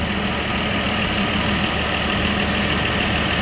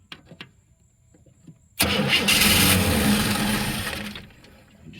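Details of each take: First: 1963 Chevy II inline six, long parked, started after the fuel pump was primed and began pumping fuel. Steady, even idle with a smooth continuous drone and no misses or knocks; normal idle. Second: 1963 Chevy II inline-six, long parked, jumped at the starter due to a faulty ignition switch: starter cranks at a steady quick beat for about two seconds but never catches. Cranks, won't start.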